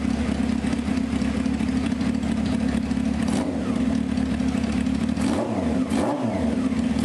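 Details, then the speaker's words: 1995 Honda CBR F3 just revived with new plugs and oil and bottle-fed carbs: a steady four-cylinder rumble with throttle blips rising and falling cleanly, no misfire. It sounds really solid and healthy, though carburetor leaks are found afterward. "Generally, I would shut this one down, but you know what? [ __ ] it, man. I'd shut it down by now and go over. But it sounds really solid."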